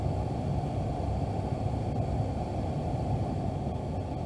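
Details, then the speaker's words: 2013 Ford F150 after blower motor resistor replacement, blower on full high: steady, even rush of air with no squeal, ticking or rubbing; blower running normally. "And now all I'm going to do is just cycle the blower switch and make sure it slows down like it's supposed to. Right now it's on full high."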